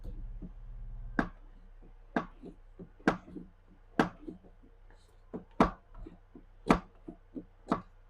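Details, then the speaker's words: Old Ford Ranger, engine off, after bleeding the clutch, truck on jack stand: dull uneven thumps and clicks as the clutch pedal is pumped, owner suspects an air bubble in the clutch hydraulics; clutch pedal thumping. "boy I can hear something thumping down there in in out in out in out in hear that"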